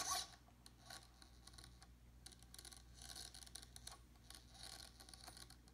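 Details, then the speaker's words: BK DS-5005HV mini tail servo on a Goblin 380 helicopter, post-crash inspection: servo works but faint irregular scratchy grinding when the arm is turned slowly by hand, not when turned fast; owner wonders whether gears need replacing. "I am performing a post crash inspection of this helicopter and this tail servo is working properly but when I turn it slowly it is making a grinding noise it will not make a grinding noise when I when I turn it fast but when I turn it slowly you can hear it"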